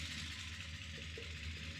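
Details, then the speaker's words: Freshly swapped Gen 6 454 big-block Chevy in a 1976 C30 dually at low idle: a dry, busy lifter clatter over the top end because oil isn't reaching the top end despite over 60 psi of oil pressure. "You can hear how clacky everything is."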